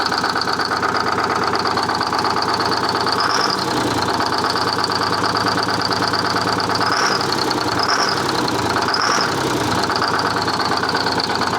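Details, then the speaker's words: Detroit 6V71 two-stroke diesel in a 1970 Peterbilt 341, run with the valve cover off after the injector was cleaned and reinstalled. Loud, rough, rattly idle with an uneven beat and a high hiss; one cylinder still dead, blowby unchanged. "Still got same amount of blowby. Not really surprised at that. I was hoping we could just get those injectors back."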